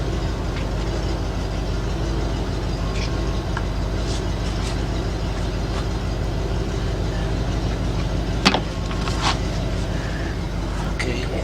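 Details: 2010 Ford Focus 2.0 during belt tensioner and idler pulley work: even, steady idle with a smooth belt hum and no chirp, squeal or pulley rattle; belt drive sounds healthy.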